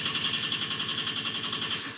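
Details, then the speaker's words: Peugeot Speedfight 2 50cc scooter after repairing cut, poorly grounded starter wiring: quick, even starter chatter at about nine beats per second; healthy cranking. "there we go i am happy with that now turns over now we've got the hard work"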